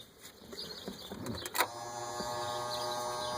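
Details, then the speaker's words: Boat bilge pump, wired to the battery switch, switched on: after a click and handling, a steady even motor hum; pump running normally before shutoff. "Bilge pump is running. Shut off."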